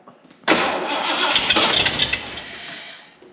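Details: 1979 Ford barn find, started after installing a fuel pump and fuel lines: brief crank, then it catches and runs rough and fast for a couple of seconds before fading; needs some throttle to keep running.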